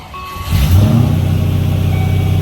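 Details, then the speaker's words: 1993 Range Rover Classic 4.2 petrol V8, first start right after an oil change with fresh high-mileage oil: cranks, catches and settles into a deep steady fast idle with no ticking or lifter noise, idle coming down nicely. "sounds good I don't hear any ticking I don't hear any lifter problems idle's coming down nicely"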